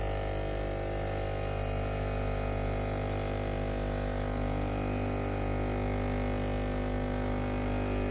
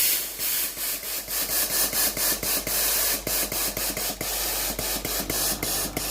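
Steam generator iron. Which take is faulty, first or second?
first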